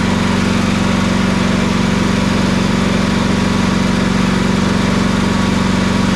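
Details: Toro Titan MX4880 zero-turn with Kawasaki V-twin, good battery installed, regulator charging 13.93 volts: steady, even beat about 200 per minute, no knocks or misses. Normal running.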